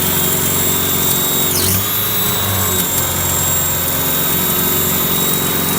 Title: B230 making weird noises